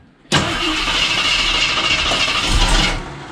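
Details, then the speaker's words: 1973 AMC Javelin, neglected and long sitting, gas poured down the carb; steady cranking almost three seconds, turning over but never catching. Crank no start; crew suspects it is not picking up fuel, carb possibly cruddy. "Okay, I'll put some more gas down the carb because I don't think we're picking up fuel yet. Nope. No fuel picking up yet."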